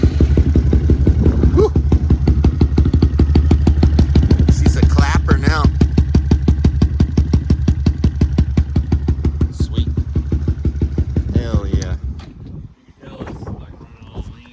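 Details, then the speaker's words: Honda Grom with newly fitted 170cc big bore kit and four-valve head, not yet tuned, first start at the shop: loud lumpy idle with fast uneven pulse and throttle blips; rough running expected until a tune is loaded. "oh yeah it's definitely gonna be running pretty badly for sure"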